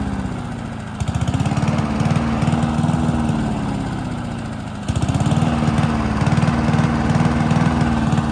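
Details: Honda HRC216 mower (GCV-series engine), hot, choke on, original carburetor: note sags then catches and jumps back up twice in seconds; surging from faulty carburetor.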